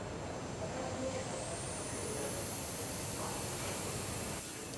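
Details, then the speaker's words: Dyson bladeless fan motor bucket, brushless motor driving a nine-vane impeller: piercing whistle climbing in pitch as it spools up, then holding very high over airy rush; impeller blade-pass whistle, targeted with Helmholtz cavities. "however when it when it does so when it pins it's nine veins generate a very particular high-pitched whistle so if we turn it on we'll hear it"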